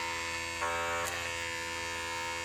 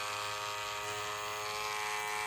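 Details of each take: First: Wark 108 hair clipper with a badly worn blade, cutting hair before blade replacement: steady high buzz falters and roughens in short bursts as it bogs, chewing and pulling hair, cutting badly. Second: Wark 108 hair clipper after lubricating: steady even high-pitched buzz with no rattle or pitch wobble, noise reduced by lubrication, running smoothly.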